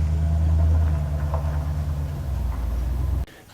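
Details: Honda CL350 motorcycle during fuel tank clean and repair: steady low rumble with even beat for a few seconds before cutting off, no knocks or misses; normal running.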